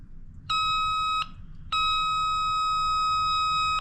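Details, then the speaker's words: JC Penney Pinto moped (Puch E50 engine), flywheel turned by hand: clean steady tester tone sounds twice, marking where the ignition points open. Points opening normally. "Yep. That's just when they open. So the points are opening."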